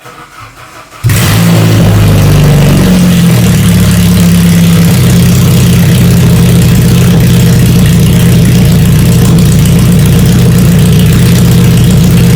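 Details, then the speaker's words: 1992 Saab 900 naturally aspirated 2.1 with exhaust removed, pipes straight from the engine, no mufflers or catalytic converters: sharp crack on start, then loud raw unmuffled bark climbing with each blip. "now that the exhaust is off there's no Mufflers no cats it's just pipes right out of the motor you know I have to start it up for a a"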